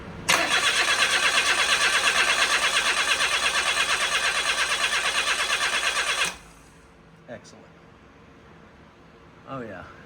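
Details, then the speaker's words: 1996 Suzuki Cappuccino, EA21R turbo engine, 22,000 miles, during a compression test with fuel-injection and ignition fuses pulled: cranks evenly for about six seconds, roughly three beats a second, no firing, balanced compression strokes; cylinder one read better than the expected ~130 psi. "fuses are out for the fuel injection and the ignition so it should not crank and I should be able to reach the ignition to crank it over and still get the camera into position here we go"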